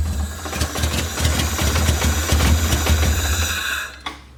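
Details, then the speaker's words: Honda B18B engine, not warmed up (radiator missing), O2 sensor left disconnected after header install, running very rich: lumpy, uneven idle with irregular stumbles before shutting off; misfire suspected from the injectors. "Yeah, I think it's gonna be those injectors. Yeah. It's a little better."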